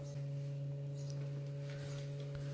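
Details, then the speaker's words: Ford Focus in-tank fuel pump running continuously via jumped relay to drain petrol before welding: steady low electric hum with faint overtones at constant pitch; normal pump operation. "so after flicking the ignition key 100 times I decided would just find the fuel pump relay and we'll jump the terminals and get that fuel pump running continuously and hear that pump going now"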